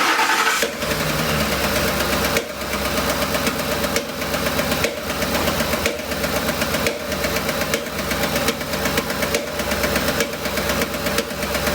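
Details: 2007 Ford Expedition 5.4L 3-valve with a rough idle and no stored codes: after start, a sharp rhythmic pop about once a second at the top of the engine, each one choking the idle. Traced to a failed roller follower on cylinder three. Intake popping.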